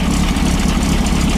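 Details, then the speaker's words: 1915cc VW Manx buggy idle after replacing 009 distributor with 034 SVDA and setting timing: smooth even thrum, no stumble, with a slight squeal from a loose belt. "That's what it's supposed to do. And no stumble. Little squeal though from the belt being loose."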